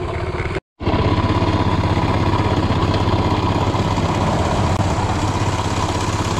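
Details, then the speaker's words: Small single-cylinder postie motorcycle on a long ride home: loud uneven rumble with rapid irregular rattle about three beats a second, running rough; bike later died. "think he's making some horrible noises I don't think you should stop I don't think you should change gear or Stu oil that means you got stop oh you've done it now it sounds like [ __ ] yeah feels like [ __ ]"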